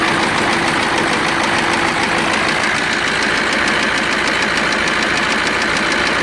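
Loud irregular clatter of about three knocks per second over a rough diesel idle; heavy knock, cause not pinned down. Cause suspected, not confirmed.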